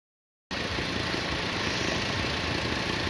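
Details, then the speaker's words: Carbureted motorcycle just started: steady fast busy idle that never settles; choke not retracting leaves idle very high; carburetor leaking fuel and starter solenoid suspected bad. "Plus the auto is so damn high. Try it again."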